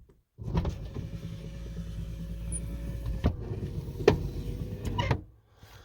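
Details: Lincoln Continental driver's front power window motor after the torque bushing repair and lubricating the track: runs about five seconds with a steady, even hum, no binding or grinding; vent window clunk fixed, window travels smoothly.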